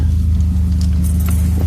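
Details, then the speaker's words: BMW E36 after restoring lost engine vacuum: steady, even, smooth idle hum with no hunting, hiss or stumble; problem solved. "Running nice and smooth now, because the vacuum's back in the system."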